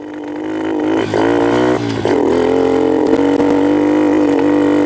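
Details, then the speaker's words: 2006 Kawasaki KLX110 pit bike after carburetor rejetting from the original 84 to a richer 88 main jet: small single revs with an uneven, wavering note that hangs and stumbles, sounding worse than before; rough running, so the next step is going leaner to an 80. "guys, that sounded worse to me. So instead of going more rich, we're going to go more lean."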